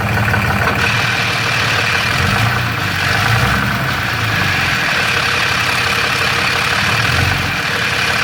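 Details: Third-gen Ram 6.7L Cummins with Jasper transmission and fairly new torque converter, converter bolts checked tight; steady busy metallic rattle over diesel idle clatter from bell housing; suspected cracked flex plate, torque converter, or normal triple-disc converter noise.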